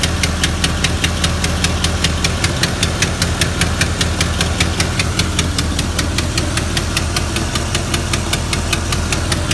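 Steady V8 idle with a sharp, even tick riding on top, about two and a half per second, pointing to a top-end tick.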